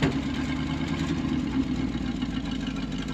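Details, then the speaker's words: 1974 Ford F600 dump truck, big petrol engine, running on two-year-old gas and smoking a little: low, even rumble with a steady beat and no knocks or stumbles; normal idle. "running really [Music] good what that engine bur not going to stand in front of it or behind it there's some question about the brakes right now yeah 2-year-old gas but it sounds [Music] good"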